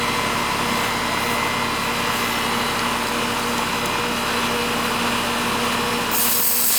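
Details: One of seven residential AC units, an old unit previously judged due for replacement, now running after adding freon and a hard-start kit to the aged compressor: steady even hum, constant fan rush and airflow hiss, no clicking or straining; normal running.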